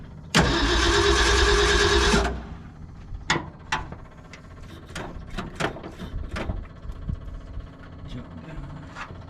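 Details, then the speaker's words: 1970 Ford F-250 field find on first start, fuel pump feeding a 2100 carburetor, timing unchecked: engine catches with a loud uneven roar for about two seconds, then dies leaving scattered clicks; owner suspects the carburetor needs a rebuild. "boy doesn't like that does it probably need to rebuild this carb all right we're going to let die let me shut off this fuel pump that is definitely carburation"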